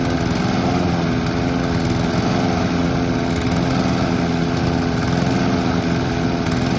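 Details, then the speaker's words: Honda or Mountfield petrol lawn mower being run out of fuel before winter storage: steady, even drone at constant speed, no misses or knocks; healthy, normal running. "They both sound absolutely amazing. I love both of these machines."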